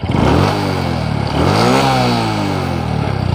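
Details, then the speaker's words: Honda Supra X 125 Karisma, road and hill test: engine pulls up smoothly and evenly through the revs with a deep, full exhaust note, no slipping or clatter; response and climbing power improved. "sini suaranya terdengar lebih agak berat ya agak bertenaga tes di pendakian teman-teman let's go ya di sini ada perbedaannya yang saya rasakan untuk Responnya ini lebih kuat lagi"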